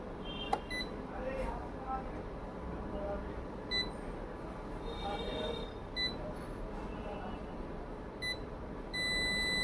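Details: Ricoh MC2000 printer: quiet room noise with faint beeps, then a loud steady hum for a few seconds, and no page feeds; it is humming without printing.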